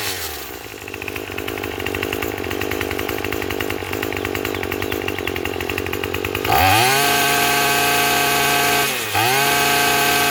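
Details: Craftsman 27 cc two-stroke string trimmer, made January 2013: steady high buzz, picking up crisply and dropping cleanly under cutting load; runs smooth and healthy, though it is smoking.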